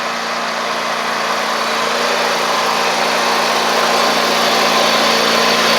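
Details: Ferris stand-on mower, 2018 Briggs Vanguard 49E877 twin, after refitting a thrown intake pushrod whose valve guide bolt had come loose, valve gaps checked: even, steady run, smooth unbroken beat, no misses or tapping; both cylinders firing, normal running.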